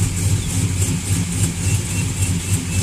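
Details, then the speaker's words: GM V8 truck with long-tube headers, idling: quick, slightly uneven rhythmic ticking over the burble, sounding like valve train tick, worse on passenger side though problem is on the other side; exhaust manifold/header gasket leak. "it's like but it's got a little rhythm to it it's not consistent let's get to the passenger side [Music] that sounds a lot like a valve train tick it's got the same speed as a valve train tick because valtryen takes tends to be slower than like a bottom end knock"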